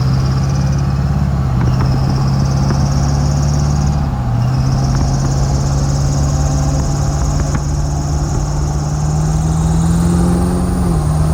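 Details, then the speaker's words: Duramax diesel truck idling: faint squeak with light irregular ticks; suspected exhaust leak at the driver-side manifold near the up pipe, manifold gasket swap planned, unconfirmed. "So as you can tell, it's a little squeaky. And from when we were looking at the heads, it looks like on the driver's side, right by the up pipe, it looks like the manifold might be leaking."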